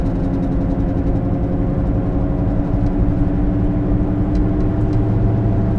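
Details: Car cruising: steady low drone and hum under road noise; bad wheel bearing located to the rear on test drive, side undetermined.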